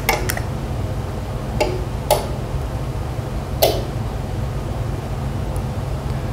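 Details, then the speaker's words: Garage door opener pressed with only an empty trolley to move: a few scattered relay clicks, motor never runs, LED flashes five times and repeats; broken solder joint on the circuit board, fixed by resoldering. "there you go so you see this thing flashing did you hear those clicks and uh little noises it was making so the motor clearly didn't operate"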